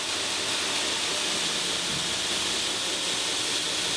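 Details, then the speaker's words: Newly installed 2x72 belt grinder on its test run, controller at 25 of 50 (50% speed): smooth, even, hissy rush at steady speed with no knocks, flapping or grinding; runs cleanly. "okay it's done uh runs pretty good so i'm gonna go ahead and start it up"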